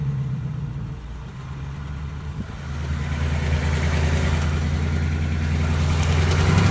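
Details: 2018 Ford Mustang GT V8 at idle, dealer awaiting Ford's answer: steady idle with fast light rattle/tick about three a second; source not pinned down.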